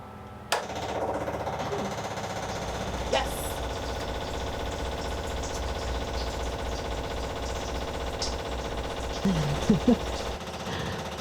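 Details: Diesel heater fuel transfer pump on sailboat, filling day tank: switched on, even rapid ticking clatter holding steady throughout; pumping normally.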